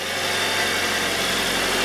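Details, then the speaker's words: 2019 Hyundai Sonata SE started cold on old oil before an engine flush and Amsoil 5W-30 change: a busy, hissy top-end clatter over the idle hum; owner suspects noisy cam phasers. "i know the toyota's had that problem too very noisy cam phasers"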